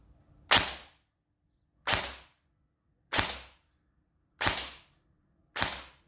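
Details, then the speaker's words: Airsoft replica fitted with a 25k motor: five sharp single shots about a second apart, each a crisp snap with no drag or grinding; fires cleanly. "That's the 25k motor in. You see what it sounds like, or hear what it sounds like, and see."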